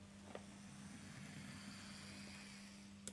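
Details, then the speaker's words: Bachmann LBSC Thomas model locomotive at speed setting 50: soft steady motor hum with no knocks, faint click at end; noticeably quieter than the older serviced Thomas. "man quite a bit quieter isn't it"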